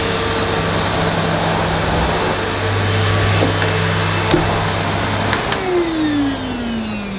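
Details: Early-1990s Hitachi CV-790 Powerhouse bagless vacuum, near mint, running stood on its end with the exhaust vent unblocked: smooth, steady motor hum and even airflow rush, pitch easing down near the end. Normal running.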